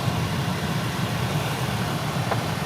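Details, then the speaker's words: 1999 Toyota Corolla heater/AC blower on high speed with the engine idling, after replacing a noisy blower motor with an aftermarket unit. Even, smooth hum with no rattle or scraping. Normal blower operation. "Nice. High speed. Yep. Perfect. No more sounds."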